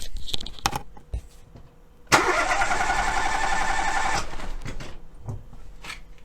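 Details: Starter cranks steadily for about two seconds with a slightly uneven beat, with a spark plug deliberately backed off two turns to create a compression leak in one cylinder for a battery-voltage relative compression test.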